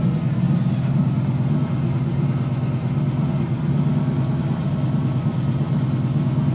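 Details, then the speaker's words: 1990 Chevy/GMC 2500 plow truck, 350 TBI, OBD1, after restoring ECM power feeds that caused intermittent no-start and stalling: steady even low idle rumble, no misses or surging, IAC working, engine light out with no codes; normal idle. "turn the key and she starts the nice thing is the IAC motor the idle air control is doing its job our computer has full-time power and our engine light has gone out"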